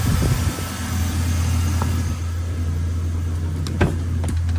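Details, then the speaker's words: Chevrolet LS 5.3 V8 after replacing spark plug wires and cleaning injectors (one wire was arcing): smooth, even idle at 630 rpm with no misfires on cylinders 1–8; normal idle after repair. "como pueden ver ya no tenemos fallas de cilindro el motor estable completamente marcha mínima 630 revoluciones por minuto"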